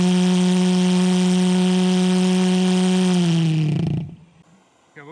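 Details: Pulse jet asphalt heat lance lit with a propane torch: loud, steady low buzzing roar holds for three seconds, then sags in pitch and dies at shutdown; normal running.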